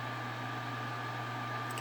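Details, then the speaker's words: PS3 after reball repair, sitting at main menu: fan steps up through several speeds to a steady loud roar that never eases off; abnormally loud cooling fan, cause unconfirmed. "already seems pretty quiet when it first boots up and then you'll see it starts kicking in first knotch second match third knotch fourth knotch I think there's one more yep"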